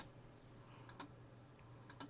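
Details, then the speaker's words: Neo Geo CD console: quiet paired clicks roughly once a second over a faint hum; disc spins but the drive keeps clicking and fails to read. Laser suspected and later replaced, cause not confirmed. "That doesn't sound good. Doesn't seem to be reading."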